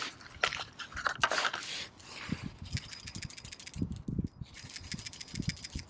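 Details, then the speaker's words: New PCV valve for a 2006 Scion xA 1NZ-FE engine (reportedly 56,000 miles) shaken by hand gives loose, crisp, free clicking; the old one was full of carbon and oil and sometimes stuck. "that sounds a little bit better yeah the other one's full of stuff uh carbon oil stuff so these get plugged up over time"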